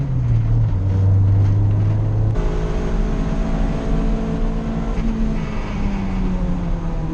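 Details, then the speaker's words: Honda non-VTEC D16A on track pulls hard and drops pitch at a gear change, then an odd extra tone creeps in near the end; the noise turned out to be the clutch. "you hear that real weird noise at the end there that ended up being my clutch"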